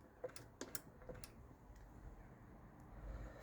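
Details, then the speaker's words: Jaguar XJS 5.3 litre V12 with 3-speed GM TH400 automatic: pressing the pedal past full throttle moves the throttle cable within its sleeve, and the kickdown micro switch on top of the engine gives crisp separate clicks, switching normally. "So that is how the kickdown works. You have to go to full throttle, you have to push a little bit more, and you activate the kickdown."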